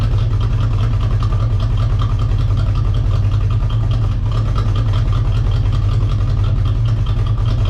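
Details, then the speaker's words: Corvette after installing a Hypertech performance chip: deep, uneven, lumpy idle with a loping, unsteady rumble; running rough because something was left out during the install. "it was just running like complete [ __ ] and that's because i forgot the [ __ ] was out of the game"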